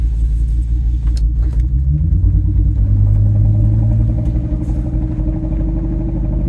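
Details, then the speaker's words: 2002 Ford Excursion V10 driving under load, rough uneven stumbling as one cylinder drops out, "sounds like a 9-cylinder V10"; misfire on cylinder 6 followed the swapped coil, so a failed ignition coil, code not yet set. "yeah it sounds like absolute garbage that's what I uh 9 cylinder V10 sounds like"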